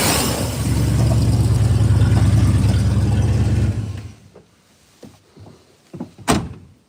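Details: 1982 truck with Sniper 2 EFI and Hyper Spark, cold start in park: deep, even V8 rumble swelling smoothly and holding steady before shutting off, no stumbling; healthy cold running.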